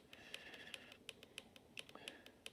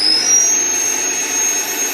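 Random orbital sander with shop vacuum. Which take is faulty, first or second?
second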